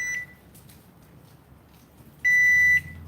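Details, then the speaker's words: Garage door opener running on its battery backup. Two sharp high beeps sound, one short and one longer; the owner says it has never done this before and it stopped afterward, so the cause of this unexpected beeping is unknown. "Well, that's weird. That was odd. It's never done that before. And it's not beeping now."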